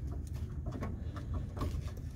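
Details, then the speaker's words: Rear sway bar link on a 2005 Ford Focus ZX4, car still hot, rocked by hand: soft irregular clunks and creaks; the owner's noise heard while driving, a link replaced not long ago already worn out. "obviously this is gonna make a lot of noise when I'm driving a lot of noise when I'm driving and that's what I've been hearing really annoying sound oh yeah this one's definitely bad"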